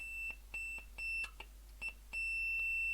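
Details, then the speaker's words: Second blown open-circuit speaker after repair, tested with analog meter continuity beeper across terminals: clean, high-pitched beeps in quick, even pulses with no buzz, rattle or crackle; speaker working normally. "nice and clear again so that one's also working"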